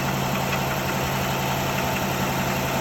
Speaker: So you guys, you hear that rattling? That's the engine.